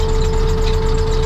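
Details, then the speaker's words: 1988 GMC C7000 dump truck idling, drop axle set to lift: constant hiss and high tone as lift-axle air bags leak, starving air pressure; leak stops when axle set down; compressor and governor fine; air suspension bag leak. "i've got the drop axle set to lift and you can hear that air leak"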